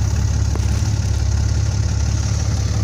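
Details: Dodge Ram 5500 Cummins diesel after alternator replacement, started with jumper cables: deep steady idle with an even beat and no knocks or squeals; new alternator charging almost 15 volts.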